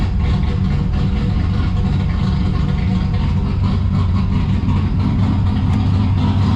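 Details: Turbo V6 Ecotec drift car with a T76 turbo: steady, loud idle with an uneven, choppy lope and no rattle or knock over it; a healthy engine with an aggressive cam.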